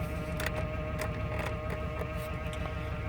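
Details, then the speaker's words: 1999 Chevrolet Suburban 1500 V8 after spider injector replacement, idling with power steering pump noise (no fluid); even steady low rumble, no misfire, hesitation or revving up and down: normal idle. "but I mean it seems to be idling okay not getting a misfire nothing revs up and down all right don't hesitate"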